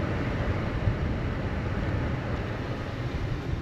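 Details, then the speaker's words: 2012 Honda Civic blower motor after replacement. It had dropped to a trickle after about 20 minutes; here it has run about 15 minutes with the AC on. It makes an even, strong rush of air with no rattle or squeal and steps down normally. "I don't know if you can hear the blower stepping down. It's off. Yeah, it's going. Seems to be going good."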